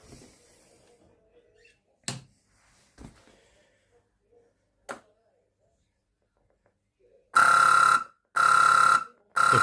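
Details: Maygay fruit machine board, earlier damaged when a meter bypass power-up blew U41 and the sound chip: after some quiet clicks come three loud, steady, evenly spaced high beeps of about a second each. A fault alarm; cause unconfirmed.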